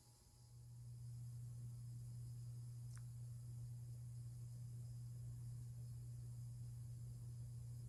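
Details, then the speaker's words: Hampton Bay Carriage House 1 hugger ceiling fan, about 1999–2000, low speed: quiet steady low electrical buzz under the fan's hiss; motor buzz. "And here's low. And as you may hear, it does have a buzz to it, so. But I mean, whatever. I've heard worse."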